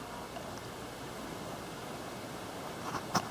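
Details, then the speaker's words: Fairly new Friedrich HVAC unit in a hotel room, switched from low to high: a steady airy fan hiss, then one sharp relay click as the fan speeds up slightly and pulls a little more air. A normal relay click and speed change. "you can hear the relay click and the fan speeds up a little bit not too much of a difference but it pulls a little more air"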